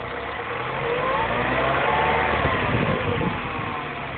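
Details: MINI Cooper S with under 2k miles, idling: thin, wavering whine riding above the steady engine hum. Whining noise at idle.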